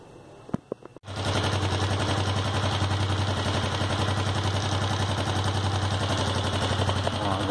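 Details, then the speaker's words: Sundown MAX 125 motorcycle after top-end disassembly and valve clearance reset (0.68 feeler gauge went in tight): starts after a few clicks, settles to a steady, even putter; loud shrill engine noise gone, running normally. "ela tá só mesmo com o barulho dela mesmo é na área motora adaptada e desapareceu aquele barulho estridente alto"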